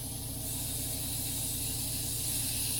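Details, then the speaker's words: Airbrush spraying cheap craft acrylic thinned with two drops of reducer and back-flushed to mix, painting a crankbait lure: steady, even hiss of air and paint without sputter; spraying normally. "yep there it is all right we're gonna see if this coats"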